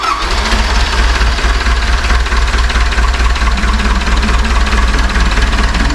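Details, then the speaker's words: Cat forklift Perkins 4.236 diesel idling: low, steady pulsing chug with rushing, blowing sound of combustion pressure forced into the cooling system; bad head gasket or cracked head, to be confirmed on teardown. "but I'm going to show the world what it looks like when you have a really bad combustion chamber pressure leak into the cooling system ouch so that's that's the worst it can"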